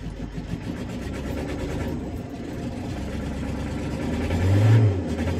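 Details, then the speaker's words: Renault Kangoo 1.9 diesel (D55) cold start with smoke: cranks and catches unevenly, low chug stumbling and surging as revs climb; reluctant, rough start, suspected injector problem. "il est vraiment propre il estin et au démarrage il a du mal comme un problème d'injecteur"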